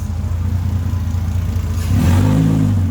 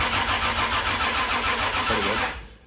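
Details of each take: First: Rebuilt 2JZ in a KE70 Corolla, after plugging in unplugged injectors: engine catches, blips through a quick rev and settles to a steady, even idle; running healthy. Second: 2JZ-engined KE70 Corolla drift car, first start, on the starter with a battery from a VN: the engine grinds over slowly and unevenly, each high-compression stroke dragging it down, weak-battery slow cranking until oil pressure comes up.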